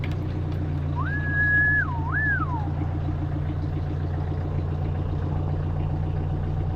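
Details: 2018 Bobcat E26 mini excavator diesel, 1869 hours, started after a battery replacement and sitting about a month: engine runs rough, owner suspects fuel drains back and starves it briefly after standing.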